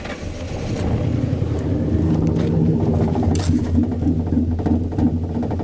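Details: 1998 Ford Crown Victoria P71 Police Interceptor parked at least 10 years: engine catches and holds a fairly steady, low rumble for several seconds.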